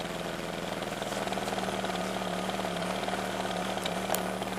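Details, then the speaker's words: 1995 BMW 325i (E36), sat unused four years, cold and not fully warmed up: idle hunts and stumbles with an uneven lumpy beat; rough cold idle, owner suspects bad idle control valve or intake vacuum leak, or both. "with it running like that and not completely warmed up, you definitely don't want to rev it too much or too hard. But that's what it sounds like, and that's how it's running."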